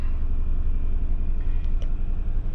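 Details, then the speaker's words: 2004 Mercury Grand Marquis GS, 4.6 Ford modular V8, 41,342 miles, just started: deep, steady low rumble with an even beat and no ticking or knocking; healthy smooth V8 idle. "Nice and reliable. Adequate power. V8 sounds."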